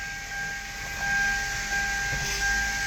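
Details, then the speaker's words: 2005-2010 Hyundai Sonata 3.3L V6, engine running right after power steering pump replacement: steady high whine with faint gurgling ticks while the wheel is turned lock to lock, air still bubbling out of the refilled steering fluid. "All right, so this is the sound it'll make as it's bubbling out. You can see there's bubbles in there. Bubbles are coming out of the system and continue to spin the wheel lock to lock."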